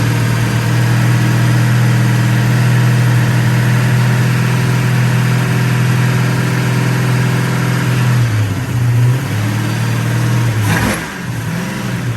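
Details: 1966 Pontiac GTO convertible V8: strong, steady low burble easing off as revs drop, no misfire from any cylinder; runs healthy.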